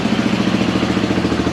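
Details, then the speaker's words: Yamaha YFM225 quad after rebuild, first start with oil primed; steady even single-cylinder idle, no knocks or misses, slight exhaust leak with a little smoke, no oil leaks: healthy idle. "all right sounds like we have a bit of an exhaust leak over here a little bit of smoke coming out that's quite normal no oil leaks everything looks good"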